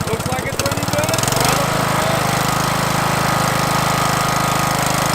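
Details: Craftsman LT1000 mower, Briggs 17.5 HP OHV engine, after new carburetor, fuel lines and air filter: brief cranking chatter, then catches and settles into steady even run with no misses; running normally.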